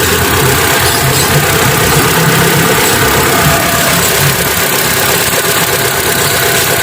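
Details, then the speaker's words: Hyundai Atoz GLS 2001 petrol engine at idle after changing to 20W-50 oil: smooth, even idle with steady low hum, no knocks or ticks; sounds healthy. "Jadi beginilah bunyinya setelah mengganti oli ke 20W-50."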